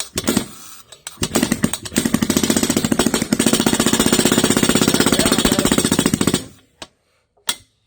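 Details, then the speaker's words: Barco H-6 gasoline two-stroke jackhammer, first start in over 50 years after full rebuild, honed cylinder, rebuilt ignition, primed and kick-started: fast uneven hammering about four blows a second, then stumbles and dies; owner suspects it isn't drawing its own fuel, jet to be pulled. "woo you're still I'm still ain't feeding off my own fuel me pull this jet out again"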